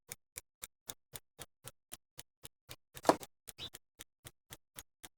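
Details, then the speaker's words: Vintage truck camper fridge tested on 12V from a Victron charger: sharp even igniter ticks near four per second with a brief soft whoosh as it lights, then warms to 39C; normal igniter. "that's the igniter sparking I don't see a spark though but so I just give up on that it sounds like it turned on"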